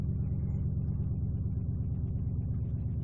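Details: 1997 Ford Taurus SHO 3.4 V8 no-start fixed by a new OEM Ford crankshaft position sensor: low, even idle rumble with no knocks or misfire stumbles. Normal idle.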